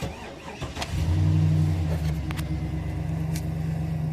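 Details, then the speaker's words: 2008 GM truck (Sierra/Silverado) after repairing knock sensor code P0332, evap vent code P0449 still pending: starts promptly, short rev, settles to even deep idle with no knock or ping; knock sensor fixed, normal start and rev. "Give it a little rev. That should set the engine light for a knock sensor if it wasn't behaving. Yeah, so that's fixed."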